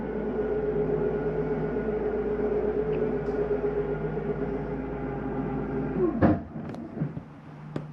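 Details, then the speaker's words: 2022 Jayco Eagle HT 31MB, slide number one (mid bunk area) retracting: steady even electric motor drone holding pitch for six seconds, then winds down and stops with a clunk; normal slide-out retraction. "again making sure doors are secure and you will hear the slide when it's done"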